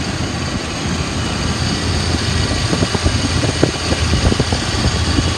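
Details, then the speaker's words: 1995 Ford F-350 XL cab and chassis, 7.5L gas V8, automatic, 129,000 miles, warm after about 45 minutes running without overheating: steady, even low V8 idle rumble, no knocks or misses. Idles smooth; normal. "It's been running for about 45 minutes. It has not overheated. It idles smooth, revs up nice."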